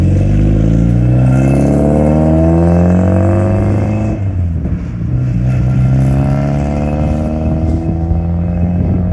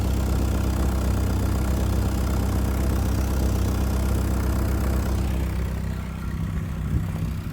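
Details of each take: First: 1992 Saab 900 naturally aspirated 2.1 after new welded exhaust replaced the leaking old one: smooth even revs climbing and settling, clean exhaust note, no rattles or leaks; any startup rattle was an unadjusted exhaust hanger, since fixed. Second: 1992 Saab 900 naturally aspirated 2.1 with old exhaust before replacement: low, uneven idle with raspy puffing chuff, exhaust escaping at more than one point; not loud but sounds terrible; exhaust leak.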